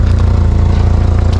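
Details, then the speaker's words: Volvo 480, just started: loud, raspy low puffing pulsing with idle firing. Sizable exhaust leak around the 3-inch downpipe, worse than before. "All right guys, so I just started up the car It sounds like a pretty extensive exhaust leak."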